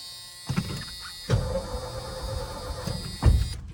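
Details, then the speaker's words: 1980s Ford F250 big block after new starter relay installed: short bursts of even, strong starter cranking with pauses, no firing; healthy cranking, fuel issue suspected. "That actually sounds really healthy now."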